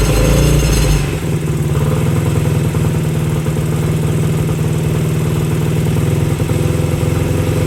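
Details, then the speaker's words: Honda CL90 motorcycle bored out to 150cc with a big piston, cleaned points, choke on and exhaust left uncleaned, started for the first time; a brief crank, then a steady, even single-cylinder thump. Normal idle. "woohoo what well guys that sounds great that thing sounded good now here comes the oil I can't believe how well that sounded too"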